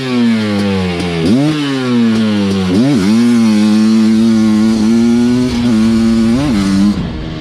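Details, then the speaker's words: Suzuki LT500R Quadzilla 500cc two-stroke during jetting at about 180°; crisp short rev blips, clean pickup with no sputter or bog; jetting judged good, normal running. "see now that sounded good i didn't really hear much sputter i would bet i'd say we're pretty good on the jetting"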